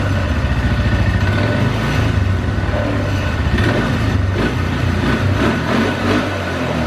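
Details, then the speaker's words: 2012 Polaris Sportsman 400 HO carbureted ATV starts and idles fine but sputters, sags and cuts out and dies at certain throttle responses or when the throttle is released; carburetor suspected gummed up, and intake-to-carb boot found cracked. "but certain throttle responses it'll just kind of cut out and die"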